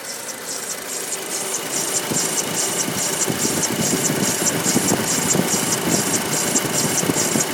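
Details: 2.0 TFSI engine at idle: sharp, even clacks about two to three per second, plus another strange noise alongside the clacking. Owner asks for ideas; cause unknown.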